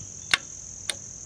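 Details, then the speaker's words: 2003 Ram 1500 5.7L chasing code P0456, EVAP leak detection pump bench-powered with an external source: two crisp clicks about half a second apart over faint hiss, showing the LDP solenoid works, though this alone doesn't prove the pump seals. "hear that that tells you that the solenoid is working inside of the leak detection pump"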